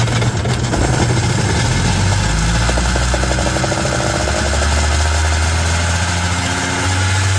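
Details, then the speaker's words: 2001 Kawasaki ZXI1100 jet ski two-stroke: loud droning at a raised, wandering idle that creeps up and won't settle; runaway idle, with an air leak at the carburetor base suspected and idle set too high. High idle surge. "so that means I've got an air leak probably at the base of the carburetor sucking air or something well the idle set way too high on it"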